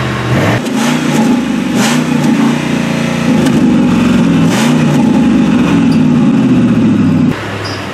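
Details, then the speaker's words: Ford Explorer after exhaust replacement with a MagnaFlow aftermarket system and rusted catalytic converter flange repaired, heard revving from inside with doors closed: smooth even exhaust note, no rasp or blowing; quieter than before, normal. "I got the door closed and I'm revving it I bet that doesn't even show off can you hear it it doesn't sound much louder than any other car"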